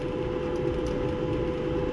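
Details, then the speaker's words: Maytag Bravos high-capacity electric dryer after the fix, idler pulley cleaned and greased, not replaced; steady low tumble and even hum with no squeak or chirp, the drum drive sounding healthy. "go ahead and run it as you can see no more squeaking"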